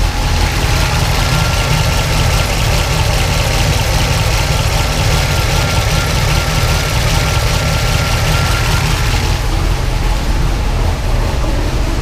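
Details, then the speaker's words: 1976 Pontiac Trans Am twin-turbo big block with small solid roller cam on Microsquirt, after fixing 2000 rpm idle: low steady idle about 600 rpm, even beat, no misses or hunting; sounds healthy, owner wants 700 rpm. "I'm still running about 600 RPMs there. And it actually sounds pretty good right now. Pretty tough."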